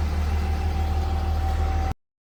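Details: 3rd-gen Ram Cummins diesel at idle: a steady mid-pitched howl rides over the loud low idle. The owner suspected the turbo or fan clutch, but it turned out to be a bad alternator bearing.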